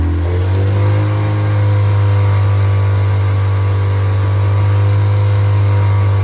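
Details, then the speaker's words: Freshly rebuilt MG Midget/Triumph Spitfire 1500 performance four-cylinder (shaved head, flat-top pistons, enlarged intake valves, 270 cam) climbs quickly, then holds a smooth, steady drone at raised revs with no knocks or ticks; normal revving. "So I'm going to let I'm going to run it, let you hear it per I'll speed it up a little bit so you can hear that."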